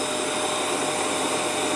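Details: Prestige induction cooktop, repaired after arriving dead, heating water with power boosted to maximum. Smooth, constant fan rush with a faint high steady tone and no rattles or cutting out; running normally at full power.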